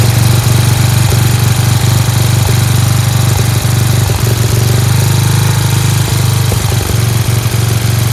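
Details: Free Dayton lawn tractor with 11 hp Briggs single-cylinder engine, first run on its own after choking: quick, even putter with no misses, idling a little fast; a spring is disconnected; engine sounds great, like a hot rod.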